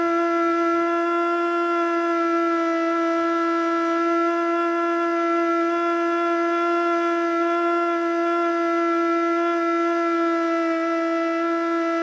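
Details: Older Federal Signal Model 2 siren with old CD box: low, wavering howl that never reaches full pitch; rotor seems unable to reach speed, brushes suspected worn.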